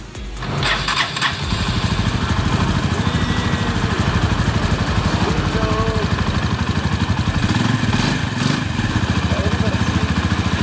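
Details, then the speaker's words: Honda Tiger New single-cylinder engine after repairing the timing chain tensioner, which was broken, and worn valve rockers that caused a rough engine noise: it catches after a brief crank and idles evenly with no top-end rattle or knock. "Oke jadi Inilah hasil dari memperbaiki Tensioner rantai taiming yang suaranya kasar tersebut,"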